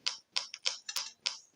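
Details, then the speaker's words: Two-transistor positive-feedback tone generator with a salvaged music-box speaker in place of the LED, oscillating at low frequency: sharp, evenly spaced pops about four per second with silence between, the speaker popping at the oscillation frequency as designed. "You can actually hear the speaker popping at the frequency."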